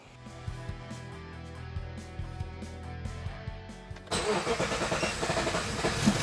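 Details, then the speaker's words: 1954 Ford F600 cab on Toyota Coaster bus chassis, started after fixing exhaust noise traced to trunnion arm bolt hitting the exhaust rather than mufflers; fires about four seconds in, steady run, much quieter, no rattle: normal running. "Much quieter. Much quieter."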